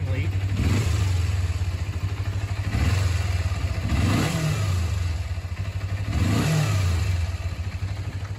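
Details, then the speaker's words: 2001 Kawasaki Ninja 250 after carb cleaning, tuning, new petcock and fixing an idle vacuum leak, chilly day: engine catches and revs up and down about three times cleanly with no stumble; normal start and rev. "So, yes, I did fix the idle vacuum leak. And it's running good."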